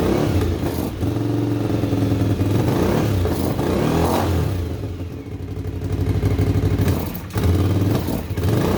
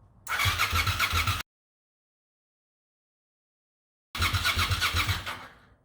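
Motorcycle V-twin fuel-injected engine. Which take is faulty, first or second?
second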